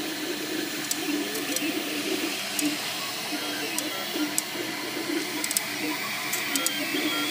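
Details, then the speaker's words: MakerBot Replicator 2 running: light irregular clicks and short faint squeaks over the running hum, coming from the axis side opposite the motors; likely binding or dry part. "It seems to be coming from this side, the opposite side of the motors, which are over here. Here I'm getting a little squeak there too. Definitely coming from this side."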